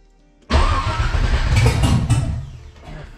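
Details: LS1-swapped Nissan 300ZX with Holley Terminator EFI, first start: the starter cranks, the engine catches raggedly, stumbles and sags. It is running rich, possibly from a wrong MAP setting.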